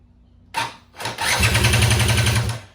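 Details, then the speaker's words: Suzuki LT500R Quadzilla with newly installed Panthera electric starter, two small lead-acid batteries in series reading 24.9 V, fuel off: quick, even chuffing about nine beats a second after a short bump; starter spins the engine briskly and strongly. "all right these batteries did the trick they're a little bit heavy but they definitely get the job done sounds like it's cranking strong"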